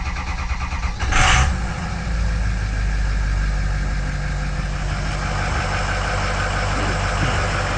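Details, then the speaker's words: Ford 6.0 Power Stroke V8 diesel after replacing #8 fuel injector: starter catch, then even deep idle with no stumble or skip; previous miss gone, sounds smooth like a vacuum cleaner; normal diesel idle. "Yeah, there's no miss. You could hear a miss before, and now it just sounds like a vacuum cleaner. It does sound good."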